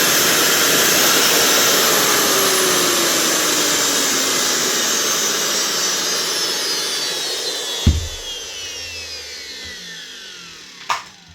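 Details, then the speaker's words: Makita GA9040S 2400W angle grinder from a Laserchaser, tested with chaser head off after failed head bearing found: high, smooth motor whine winding down evenly, no grinding or rattle; motor healthy. "Just test it again now with the head off. Make sure the actual motor sounds good."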